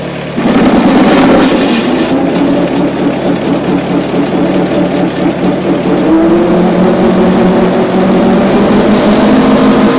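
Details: Giemme EF115 flail mower after assembly and repair, driven by tractor: spins up to steady even drone with soft low hum, no knocking or grinding; noise is normal, just drops falling back.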